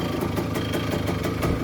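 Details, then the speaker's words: 1985 Kawasaki KE100 two-stroke, sat many years, idling in neutral: faint metallic rattle roughly every fifth of a second over light tickover; owner unsure where it comes from. "but is that little rattle coming from somewhere not sure what it is it could be coming from somewhere"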